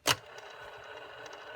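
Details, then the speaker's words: Jaguar T2026 reel-to-reel deck rewinding with the idler tire spindle sanded and cleaned but no tire fitted: a sharp click, then a steady hissy whir with a fine rattle, less clunky than before but noisier than with a rubber tire. "a little better still a little noisy not nearly as clunky but you can hear how quiet play is with that rubber tire"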